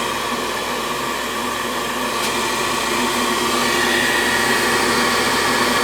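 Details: 90+ propane gas furnace that fires one cycle then locks out, refired with combustion air drawn from the basement: steady, even burner roar with no surges or cutouts; running normally on this cycle.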